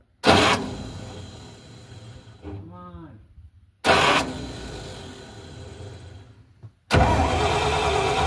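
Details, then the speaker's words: 1971 Dodge A500 ex-US Air Force dump truck, reportedly with a 318 engine, after the distributor and timing were adjusted: three crank attempts each start with a harsh grinding burst, with a brief rising whine between them. Cause not confirmed. "Whoa. God, that's a terrible sound."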